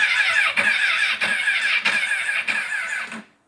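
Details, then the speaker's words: Crashed Honda CBR1000RR bought as a blown-head-gasket bike with no oil, about half a gallon of fuel added, fuel pump reinstalled, loud buzzing present: starter churns about four beats a second but never catches; no fuel pump priming heard, pump suspected; crank, no start. "definitely don't hear the fuel pump priming hope I don't have to buy another fuel pump for this thing"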